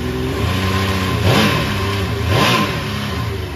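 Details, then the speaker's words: 2005 Yamaha Vector snowmobile with the clutch removed for the factory rattle repair kit: two quick clean rev blips with a steady even note, no clanking or rattle; smooth engine run without clutch clatter. "A lot quieter you can hear the clankings gone now runs nice and smooth nice and quiet"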